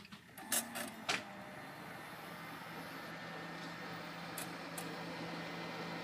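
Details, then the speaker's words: About 16-year-old case fan fitted as a replacement after the previous fan lost blades and became unbalanced, running with the side panel off: clicks at power-up, then a loud whooshing whir with a low drone. "that 16 year old fan is a it's pretty loud oh yeah I had to replace it because my last fan I may have broke a blade off of it"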